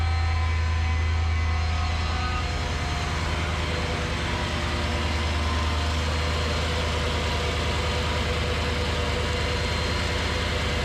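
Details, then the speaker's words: Mercedes CLS55 AMG M113K supercharged V8, first cold start after replacing worn idler pulleys with billet UPD ones (was squealing): loud steady mechanical whir and chatter over deep rumble, persisting once warm; owner suspects supercharger, not pulleys; loud noise at idle. "anybody has any guesses that noise didn't go away after it warmed up um not sure what it was it didn't sound like it was coming from the pulleys maybe the supercharger"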